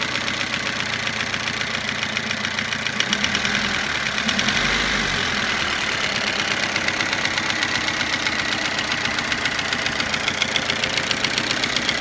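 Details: Toyota Avensis idling after cylinder resleeving, piston ring replacement and timing belt job: a quick, uneven metallic tapping of about three to four per second over the running note. Knock at idle, cause unknown.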